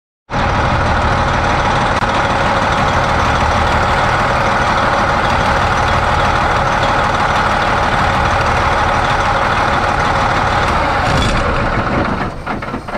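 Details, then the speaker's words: 2007 Freightliner Columbia truck, engine shut off: constant loud rushing hiss of air blowing by the air dryer, holding steady then tapering; air dryer is bad and needs replacing. "does your air dryer do this after you shut the engine off just constantly allow a lot of air to blow by but if it does it's bad it's time for us to replace this one here"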